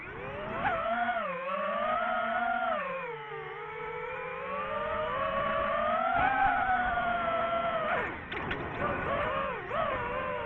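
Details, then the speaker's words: DJI FPV drone flying aftermarket Amazon props (checked tight, none visibly bent): motors whine and swoop with throttle with a buzzy rough edge; props loud and peculiar, near-crash; abnormal propeller vibration. "all right so there's definitely a problem with these props these amazon props they're they're more money than the pyrodrome props and they're loud"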